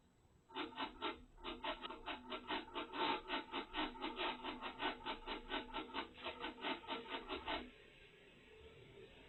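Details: 2024 Mazda CX-90 PHEV, about 5,900 miles, parked and switched off after EV-mode driving: a rasping buzz pulses about twice a second for roughly seven seconds, then stops; source unknown, first noticed after dealer service.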